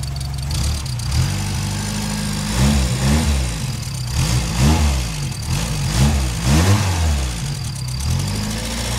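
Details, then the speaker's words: 1977 Toyota Corolla after exhaust joint repair with two new bolts and a clamp: steady idle with rev blips, faint puffing leak still at the bolts but much quieter than before. "there's still a bit of a leak where the bolts are but it's a lot quieter than it was"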